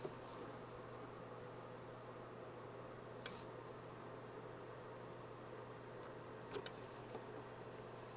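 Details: IBM 8228 Token-Ring MAU port tested with the Setup Aid after fitting a new battery, held in until the LED goes out: low steady hum with a couple of isolated sharp clicks, the port relay switching normally.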